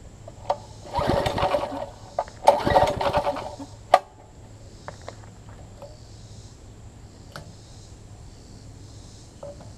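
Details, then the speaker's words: Troy-Bilt Tuffy rear-tine tiller, small single-cylinder engine, after fitting new carburettor diaphragm, exhaust and intake tube: fires in two short bursts then dies; still fuel-starved, diaphragm likely misseated in the carburettor ring. "still doing the same thing with which is strange I'm going to continue to look at this and see if I can find out why it's doing that"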